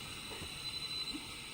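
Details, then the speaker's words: Home-built 40 m direct conversion receiver after fixing audio amp hum: even static hiss with a faint intermittent thin tone, weak CW Morse audible; receiver working, normal static with faint CW. "just static and actually if you're listening carefully you can hear some CW"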